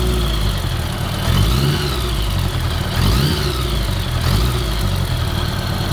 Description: 1983 Honda GL1100a ticking on left side